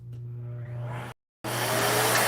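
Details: Vacuum tested for no-power fault: suction motor's steady, fairly quiet low hum with even tone, then a brief cutout before a louder rush; motor itself runs smoothly.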